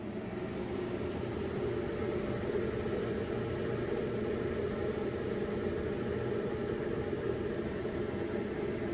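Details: Samsung DVE50R5400W/A3 dryer, previously not heating, during element testing with power on: steady, even low hum and whir with no knocks, squeals or scraping; runs smoothly and sounds healthy.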